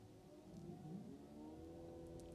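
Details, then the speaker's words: Tesla Model 3 LFP, service-mode battery health test just started: quiet hum with a low tone that rises and settles within a second as the heat pump kicks in, seemingly preconditioning for fast charging, rear motor buzzing; normal heat pump compressor start. "you can hear the heat pump kicking in sounds like it's preconditioning for fast charging I can also hear the rear motor buzzing"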